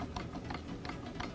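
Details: BMW E46 325i during engine removal for LS3 swap: dry, ratchet-like ticks about three times a second as the driveshaft is turned slowly by hand, from a worn driveshaft center support bearing that shouldn't make that noise.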